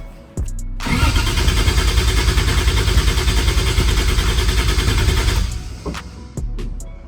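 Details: 2JZ-GE VVTi turbo swap in MX83 Cressida, cranking with injectors off to build oil pressure before first start: new starter and Optima battery turn it steadily around 200 beats a minute without firing, even compression, 50 psi oil pressure; normal cranking.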